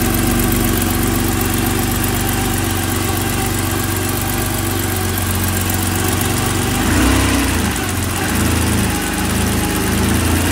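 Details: 1986 BMW 325e M20 inline-six idling just after a valve adjustment, with a light, fairly quick tick of about four per second over the hum; owner unsure whether this valve train ticking is normal.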